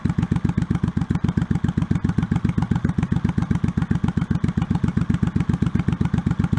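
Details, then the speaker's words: 1984 Honda Shadow VT700C, unrun over 7 years, rebuilt carburetors and starter, fuel hose clamps replaced, started with starter fluid: even, lumpy V-twin beat about four pulses a second, steady with no knocks or misses; healthy idle, tachometer not working. "bit okay well it's running yeah Minor Adjustments figure out why the RP gauge isn't working"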